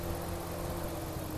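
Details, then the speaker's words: 2009 Dodge Ram 1500 5.7L after replacing low-pressure A/C line, recharging to about 25 psi: steady idle under even fan rush and constant low hum, clutch fan spinning; normal A/C and fan operation. "but uh my band's on and my clutch fan is spinning spinning out"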